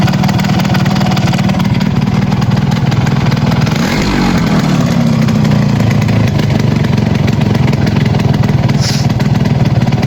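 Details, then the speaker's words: Yamaha RX 115 two-stroke, first start after refitting and tightening the silencer: loud, raspy, high uneven idle with rapid chuffing at the header; exhaust header gasket still leaking from the top because the gasket has not seated. "হচ্ছে এটা এখনো leak হচ্ছে উপর থেকে leak আছে কারণ এরা গ্যাসটা বসে নাই"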